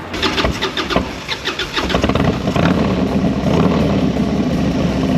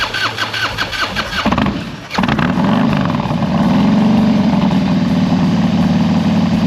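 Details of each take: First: 2001 Harley-Davidson FXDX with new carburetor work and straight pipes, no dyno tune: cranks and catches with rough, uneven firing for a couple of seconds before settling to steady idle; over-choked with too much gasoline, no popping. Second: 2001 Harley-Davidson FXDX V-twin with carburetor work and new straight pipes, cold engine, first start, untuned: cranks and catches, then loud lumpy but even idle, choke off, warming up, no popping or misses; healthy.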